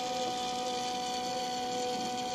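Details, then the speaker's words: Peugeot 308 CC 1.6 THP (EP6) after coolant drain and refill with about 4.5 litres, phone held right beside the auxiliary coolant pump: steady faint electric hum with fixed tones, no rattle or grinding; pump running normally. "D'ailleurs, vu qu'on l'entend bien là, je vais vous mettre le téléphone à proximité de la pompe de refroidissement accessoire pour que vous l'entendiez bien."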